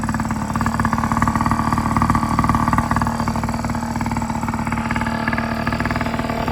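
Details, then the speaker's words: Yamaha PW50 two-stroke after full rebuild (carb, cylinder top end; has compression and spark): crisp buzzy beat at fast idle, crackling evenly with no knocks or rattles; running normally. "everything rebuilt carb cylinder top end has compression has spark all right i'm about to start this up so we can hear it run"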